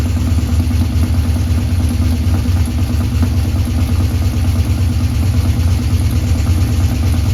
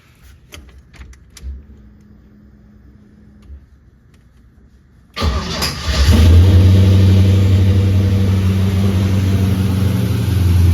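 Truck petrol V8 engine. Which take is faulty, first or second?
first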